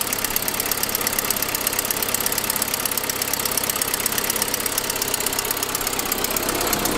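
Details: 2006 Saab 9-5 at idle: fast, sharp ticking about three per second over the engine, first noticed after a noisier turbo sound; caused by a broken forwardmost exhaust manifold stud leaking exhaust, not lifters.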